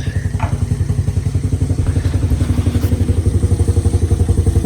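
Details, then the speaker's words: Old Honda Fatcat after carb clean (sticking float freed), fresh gas, new plug, not run in about a year, still cold: steady, even thumping near four beats a second, no misses; idles too high. "Needs some work, but needs some love. Idle's too high. Working the wrench. Idle's too high."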